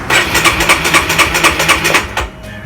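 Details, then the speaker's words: Honda RS150R motorcycle, before spark plug change: starter cranks about four pulses a second for two seconds, never catches; won't start after three tries, owner suspects the long-unchanged spark plug. "Can't start. So. Tried 3 times already but still can't start it up."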